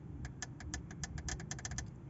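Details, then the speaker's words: London taxi stored for seven years, fuel solenoid valves powered directly by a wire from positive before the first restart: a string of sharp clicks over a quiet hum, showing the valves open and work. "et pour savoir si elle marche il faut qu'elle claque on les entend claquer écoutez bien"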